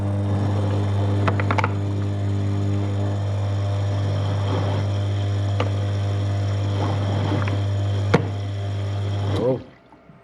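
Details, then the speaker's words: Toilet macerator after a dropped object was cleared once: steady motor hum with irregular sharp knocks and rattles; another foreign object still caught inside the macerator chamber. "Right then, that noise told me that there was something a little bit more inside that macerator unit."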